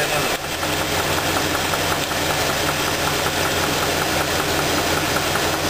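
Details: Engine idling during a spark plug wire pull test to isolate the knock: steady metallic knock in time with engine speed; traced to cylinder two, where teardown showed a spun rod bearing and rough crankshaft.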